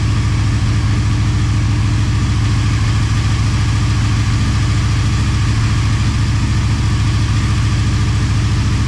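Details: Motorcycle idling on second start after full teardown and rebuild, coolant and oil topped up: deep, steady idle thump staying even throughout, no ticking or misfires; normal healthy idle.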